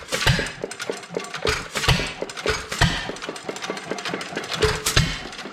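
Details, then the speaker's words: Old Domestic Type F engine with a mud-sucker pump, governor spring cut by a quarter inch, some blow-by at the exhaust valve. Sharp irregular firing bangs with clicks as the flywheels coast; running steadily but too slow to pump water. "it's still running too slow to pump water at least it's running"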